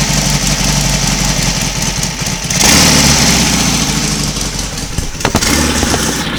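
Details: Royal Enfield Constellation twin, cold morning start on a single carburettor feeding both cylinders: thumps evenly at idle, picks up cleanly on a throttle blip and settles back; running nicely on both cylinders, though jetting still needs attention.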